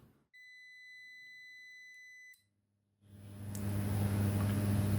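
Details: ETECH 1200VA UPS with 24V transformer on the bench: two-second steady beep, short pause, then even low hum with fan rush; starts and runs normally, though output reaches only about 190 V instead of 220.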